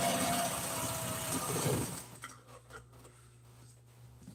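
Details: Sewing machine sewing a seam in gray thread on seat-cover pieces for a 1997 Ford F350: a fast, even stitching whirr for about two seconds that stops cleanly with no knocks. Normal.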